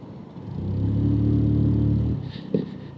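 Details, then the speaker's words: Lexmoto scooter (Cypher or Diablo) on a test ride after issues, fitted with 12 g rollers: the engine rises smoothly to a steady drone and pulls well, then drops away into freewheel as it rolls off below about 10 mph; normal acceleration with no slipping or rattle. "there we go right pulls down lovely did it go into Freewheel yes which it"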